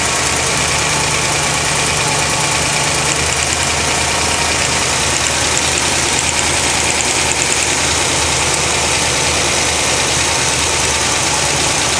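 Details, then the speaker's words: 1980 Corvette V8 at idle: a light, fast ticking over the exhaust rumble; the owner suspects the spark plugs arcing, but taking them off made no clear difference and the cause is unknown. "also noticed a big ticking sound, which is not as loud right now, but whenever you listen to it on the video, it's pretty loud."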